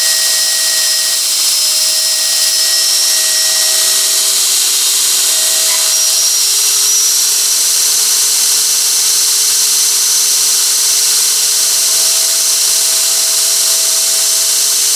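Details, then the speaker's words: 2.2 kW motor on a Korean variable frequency drive: strange sounds at start, high thin whistle with warbling tones and jerking when speed changes; owner suspects drive settings or the drive itself, plans swap to Danfoss. "и когда он запускается он издает странные звуки и потом в процессе когда я меняю скорость сидят дергаться меня это напрягает ."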